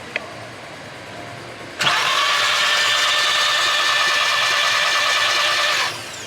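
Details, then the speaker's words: Barn-find 2003 VW Bora with about 2000 miles from new, fuel lines off into a catch can with nothing coming through: about four seconds of steady high-pitched whir on the key, no firing; cranks but won't start, fuel pump suspected dead. "no that's the issue I think the fuel pump is probably deed modern fuel you see yeah yeah exactly modern fuel"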